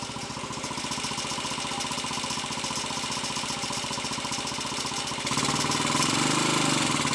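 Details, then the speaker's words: Royal Enfield 250 five-speed, third gear badly worn and jumping out under load, other gears fine; in fifth, steady single-cylinder beat rising smoothly as it pulls, no jumping out: normal running in fifth gear. "We can load up fourth gear, okay? That's fifth. Right, that's fifth."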